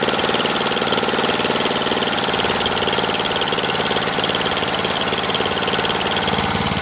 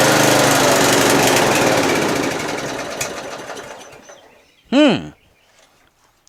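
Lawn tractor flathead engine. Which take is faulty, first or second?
second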